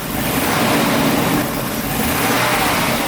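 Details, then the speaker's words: 1991 Daimler XJ40 (Jaguar) engine, running cold after a repair attempt for a highway breakdown, picks up cleanly on each throttle blip and settles back with no stumble or hesitation; normal throttle response. "Really responsive, no hesitation at all."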